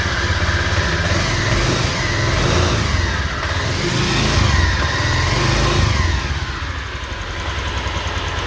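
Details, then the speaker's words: Honda Vario 125 FI scooter running on its side stand, fuel pump pressure normal: rough whiny drone over the engine beat from a worn crankshaft bearing; engine must come down for overhaul to run smoothly again. "ya jadi suaranya itu seperti itu ya Apa yang harus dilakukan yaitu adalah perbaikan pada bagian laker kuk As ya jadi harus turun mesin kalau pengin suaranya itu halus lagi"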